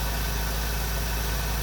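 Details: Honda Integra classic car idling after replacing the ignition coil: smooth, even low idle holding steady with no misses or knocks; running healthy again after the no-spark breakdown.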